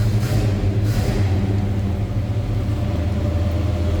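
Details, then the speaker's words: 1972 Chevrolet K20 Cheyenne Super 4x4, big-block V8 with true dual exhaust and X-pipe, just after a cold start: deep, even burble at a slightly raised idle, no skips or knocks; normal cold fast idle while warming up. "Again, true dual exhaust X-pipe. That was a cold start, so we have a little higher idle here."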